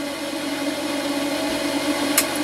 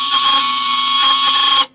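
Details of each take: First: Range hood fan of a Laika Ecovip 200 I motorhome after repair: steady, even whir with no rattle or scrape throughout; the fan spins smoothly and runs normally. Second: Laika Ecovip 200 I camper van range hood extractor fan: loud, steady buzzing whine with sharp tones over harsh hiss, then cuts off; owner thinks a worn pin on the rotating axle causes the noise.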